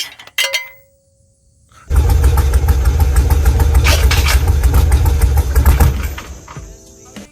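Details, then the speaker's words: Car engine cranks and starts with a heavy metallic rattle, about three to four knocks a second, fading as it settles; the cause was one loose bolt or ball wedged between the flex plate and the bell housing. "i can't find it but all for one bolt wedged in between this the flex plate and the bell housing came out of here and that rattling sound it was as you can"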